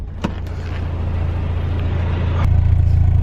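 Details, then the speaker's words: 1991 Mazda Miata 1.6L at warm idle after a cold start, just fitted with cheap aftermarket headers replacing cracked, leaking stock headers, stock intake; heard from engine bay and exhaust: quiet, low, even thrum, no ticks or rattles, healthy. "she sounds really quiet you can barely even hear anything but you can't even hear nothing for my day"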